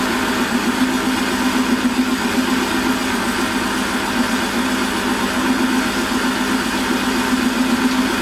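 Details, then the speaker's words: Holzmann ED400FD lathe turning with 1 mm depth of cut and power feed: even, steady machining hum with constant low tone, no chatter or knocking; noise clearly reduced and vibration almost zero. "und da ist jetzt auch mit verführung ist jetzt das geräusch deutlich geringer und die vibrationen fast fast gleich null"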